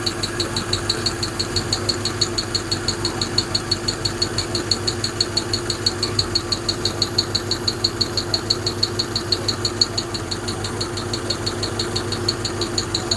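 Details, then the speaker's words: Hemi V8 at steady idle with a sharp, even valvetrain tick at about three per second, heard on both sides; owner suspects lifters (aftermarket "China lifters" show some movement); cause not confirmed. "Yeah, there's definitely one in there. You can hear that one. Sounds like it's on this side too. Probably live with it if that one wasn't clanking so bad."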